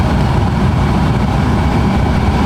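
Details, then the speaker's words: Brand-new aftermarket blower motor bench-run on jumper wires with no fuse at full speed, amp clamp measuring current draw (100 mV per amp scale): loud, even rush of air with a steady motor hum, no ticking or grinding; the blower runs normally. "I'm gonna plug this one in. We're gonna see what our current draw is. Just out here. That's full beans."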